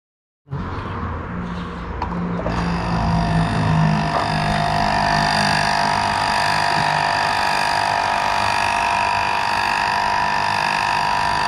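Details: Water pump that hummed but would not rotate; after replacing faulty capacitor, brief click at start then steady even hum at constant pitch; running normally.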